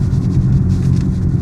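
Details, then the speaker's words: Ford Focus, driving at 30 mph with gearbox in neutral: steady low rumbling whirring persists; suspected wheel bearing, possibly gearbox, not confirmed. "Yes, I put the gearbox into neutral, so it's not really engaged, but yeah, it's got quite a strong wheel bearing noise. Hopefully you can hear that whirring away. That's at 30 miles an hour."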